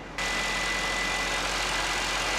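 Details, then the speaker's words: 2018 Mercedes S63 AMG V8, 95,000 km, idling: steady high whistle like a vacuum cleaner sucking, a vacuum leak through a failed oil separator; whistle stops when the oil filler cap is opened; separator being replaced. "휘 휘파람 소리 비슷하게 나거든요. 자, 요거를 점검하는 방법은 아주 간단해요. 엔진 오일 캡만 열어보면 됩니다."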